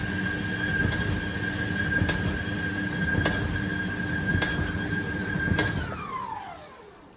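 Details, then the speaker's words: Indesit IDCE8450 B H condenser tumble dryer, first run after belt replacement: steady whine with a sharp thump roughly every 1.2 seconds, once per drum turn, then winding down; drum catching, owner suspects a bumped track, unconfirmed. "it wasn't making that noise before I don't think of course it wasn't making that noise before cuz it wasn't turning so I couldn't tell right it does sound like the uh this fellow here this track is a bit bit bumped"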